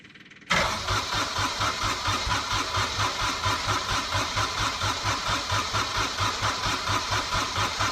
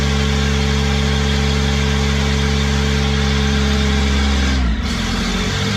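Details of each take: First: Small Kubota diesel, cold (about 1°), newly fitted starter with 8-tooth pinion, heat position on and fuel pump running; cranks strongly and evenly at about 87 compressions a minute but never fires; owner suspects glow plugs not working. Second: Kubota diesel with a 1006-tooth ring gear, started using a new starter with an 8-tooth pinion: steady, even idle with a smooth low throb and no knocks or misses; the engine itself sounds healthy.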